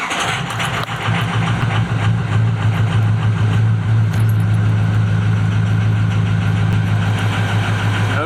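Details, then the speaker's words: Ford 6.0 Powerstroke diesel truck, hard to start days after turbo repair; owner suspects glow plug circuit, perhaps a pinched harness (plugs replaced about 2.5 years ago): steady fast cranking chug for seconds without catching cleanly. "But I'll show you what it sounds like, how it wants to sound when it's cranking."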